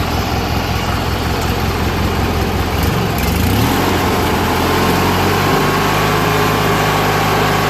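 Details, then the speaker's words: Murray 16HP 46" riding mower, Briggs & Stratton opposed-twin, after carburetor and fuel pump rebuild, new gaskets and jets, cleaned tank and fuel lines, following two years sitting unused outside: even, steady twin beat picking up smoothly partway and holding without misses or knocks; running great. "is awesome put this all back and go for a ride running great even idols well"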